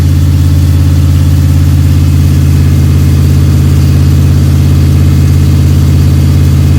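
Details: Freshly built 302 Cleveland V8 with a Holley Sniper and electronic distributor, about 20 minutes into cam break-in: deep, steady idle with even firing pulses and no ticks, knocks or stumbles. Healthy.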